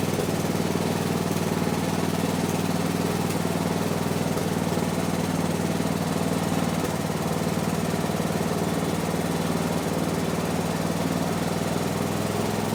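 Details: 1970s Massey Ferguson MF-12 garden tractor, Tecumseh 12 hp single-cylinder, just restarted after the cracked head was replaced: uneven idle, firing pulses wandering rather than settling; owner suspects the carburetor.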